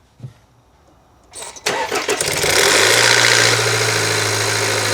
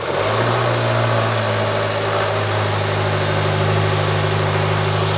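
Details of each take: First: 2020 Land Rover Evoque 2.0 L turbo, cold start: cranks and fires, then idles with a loud busy metallic rattle, very bad at startup and a slight rattle persisting, the common cam phaser rattle; engine to be torn down. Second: 2020 Land Rover Evoque 2.0L turbo after repair of its common engine rattle, involving a sprocket: steady even idle hum with no rattle or clatter over it; the rattle appears fixed.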